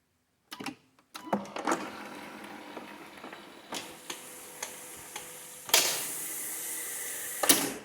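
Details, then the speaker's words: Brand new 8-foot Minn Kota Talon anchor retracting after spraying silicone lubricant on the spike and internal arms: steady motor hum, soft clicks, squealing gone. "so let's go ahead and deploy the spike and see what happens and there you go not a single squeak let me retract"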